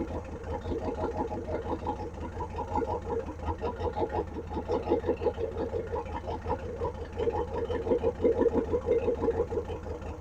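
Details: 1957 Ford Thunderbird barn find, off the road 50-60 years, first start: engine stumbles unevenly, pulses coming and going in a shaky rhythm. Rough running, with a bad fuel leak from the carburetor base plate or a bowl; carburetor work needed.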